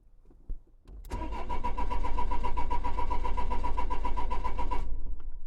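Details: 2004 Renault Trafic 1.9 dCi diesel: starter turns the engine over at an even beat, nearly four compressions a second, for almost four seconds but it never fires; cranks, no start, with DF195 fault code.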